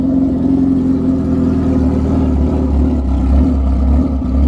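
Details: 2003 Suzuki GSXR 1000 started just after a new clutch pack install and fresh Shell Rotella oil, with a Brock's header and Loudmouth exhaust: deep, loud, even exhaust drone with steady pulsing, no knocks or rattles. Normal running.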